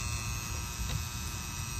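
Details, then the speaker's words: Outdoor condenser unit with the disconnect pulled: steady low electrical hum with a faint high whine, sizzling sound, no rhythm; the contactor is buzzing. "it's like a sizzling sound it's like they're at sizzler cooking a steak or a little grill"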